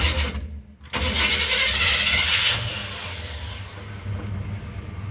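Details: 1977 GMC Sierra Grande short-bed pickup, 85,000 original miles: brief cranking, then the engine catches cleanly and settles into a steady, even idle with no misses, a healthy cold start.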